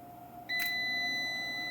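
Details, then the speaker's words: Solar inverter after main board (motherboard) replacement, switched on. A clean, steady high beep holds well over a second with no broken or repeating pattern, and no error is shown while all three lights come on. Normal startup beep. "this one is not giving us any error so far and it sounds like it's working good this one's working good"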